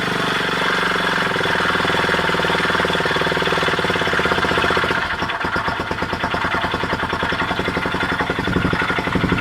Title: honda xl250s pulsating grinding noise